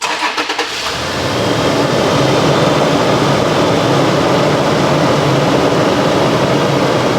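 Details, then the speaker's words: Toyota 4Runner engine after a cylinder wash-down hydrolock event: catches quickly after a short crank and settles into a smooth, steady idle with no knocking; no bent rod or cylinder wall damage, runs fine. "we don't have a bent Rod it runs perfectly fine"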